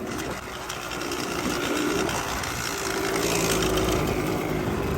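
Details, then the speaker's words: Yamaha Tri-Z two-stroke three-wheeler barn find, running pretty good: fast idle buzz with a tinny rattly edge over the exhaust note; owner thinks pipe is a little loose; loose exhaust pipe. "Sounds like the pipe a little loose."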